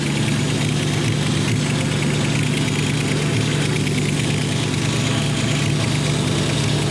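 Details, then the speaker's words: V8-swapped Ford Capri at idle with a big exhaust leak at the back and side of the 'pump' (as stated). A loose, puffing tick rides on each firing pulse. Smaller leaks are also known; a new exhaust is to be built. "We know we've got small leaks because we're going to be building an exhaust for this one. But there's a big leak there."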